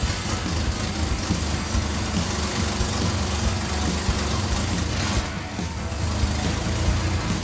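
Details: Dodge Dakota warming up after a tune-up with new spark plugs, plug wires, distributor cap and rotor, before Seafoam treatment: steady, even low rumble with no stumbles. It idles smoothly with no misfire after the distributor wiring was corrected.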